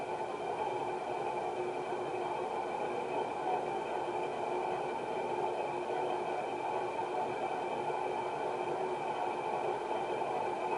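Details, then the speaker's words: 1991 HRS L-356 industrial ceiling fan (cast iron motor, aluminum blades) on medium-low of a 4-speed transformer control, with slight wobble; steady roar with coarse rough hiss from worn bearings that had rusted shut. "Start to hear the bearing noise now. Fan just has a little wobble."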